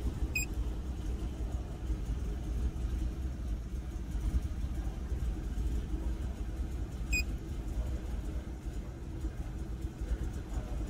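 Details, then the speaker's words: Car idling while EGR valve is opened in steps by scan tool, here around 23% open; rpm sinks lower, very low lumpy idle that stumbles as if about to die; rough idle from excessive EGR flow. "then 23 it kind of sounds like it's like struggling to idle and it's even lower than it was before"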